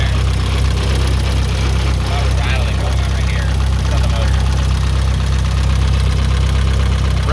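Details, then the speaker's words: Nissan 240SX S14 SR20DET first start after rebuild, idling: fast, fairly even light rattle about three per second over low rumble from the head; owner suspects lifters despite bleeding them; oil pressure good. "in the head yeah [Music] it could be those lifters i bled them well"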